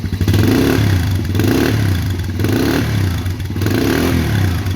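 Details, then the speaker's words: 2008 Polaris Outlaw 90 four-stroke, warm and idling with no choke, recorded toward the exhaust. It idles evenly, then crisp repeated blips rise and fall cleanly about once a second, showing healthy throttle response. "so I mean that throttle response is fantastic for a four stroke that's not you know the carburetor or the chok's not even on"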